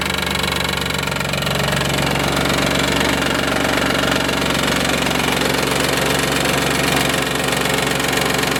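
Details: 1995 Isuzu Rodeo 3.2 V6, about 151,000 miles, idling with even knocking about three times a second, felt most on the driver's side; it abates near 2500 rpm. No metal in the oil. Timing-belt tensioner or rod bearing suspected.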